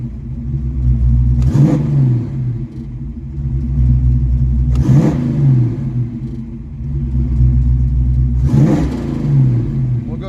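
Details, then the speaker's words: Ford 302 V8 in a Mustang with carb, after swapping all spark plugs while chasing a suspected lean condition: steady idle at 950–1,000 rpm, three quick throttle blips settling back evenly; smoothest idle in a long time. "it's holding steady 950 to 1,000 this is probably the smoothest Idol it's had in a long time"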